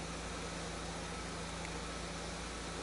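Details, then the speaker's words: Chevrolet Corsa flex that won't start in the mornings, running on 100% ethanol, extremely cold (air 13°C): manifold pressure 380 mbar, injection time 3.8 ms; smooth quiet even idle, no stumble or tapping; normal cold idle. "a pressão do coletor 380ml bares ok o tempo de injeção tá então de 3.8 carro está extremamente frio ainda né"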